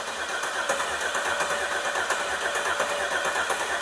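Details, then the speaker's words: Car sitting 20 years, fuel tank serviced, everything connected: steady healthy cranking with no firing pulse despite good fuel pressure and spark; crank no start from stuck fuel injectors. "All right, hang on. Didn't start. We do have everything connected now."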